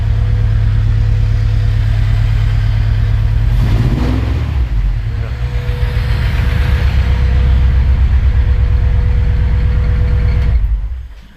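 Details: Honda EG6 after fitting new distributor rotor arm, cap and ignition coil: deep, lumpy idle with uneven beat and occasional stumble; misfire at idle persists, cause not found, chip, spark leads or distributor next suspects.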